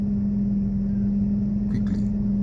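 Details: 2001 Toyota Camry after timing belt, roller, pulley and fuse replacement to cure erratic RPM: even, steady raised idle hum with no hunting or surging; normal fast idle.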